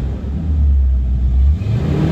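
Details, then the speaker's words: Chrysler Sebring started cold with Flowmaster mufflers (under 1,000 miles); it starts on the first crank, then a deep, even exhaust rumble swells smoothly with revs and settles back. Idles stable at about 800 rpm, no misfire. "engine runs extremely well idles very comfortably at about 800 rpm and is very stable"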